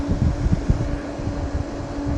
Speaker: That's a lot of air. Yeah, and then if you just back it off from full throttle, you can barely hear it, but at full throttle it's got a bit of a noise to it.